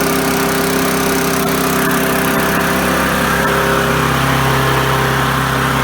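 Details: Briggs & Stratton 3.5 hp four-cycle push mower engine after carburetor fuel diaphragm replacement and fuel line securing: steady, even beat with no surging, governor holding speed. It previously surged and ran rich.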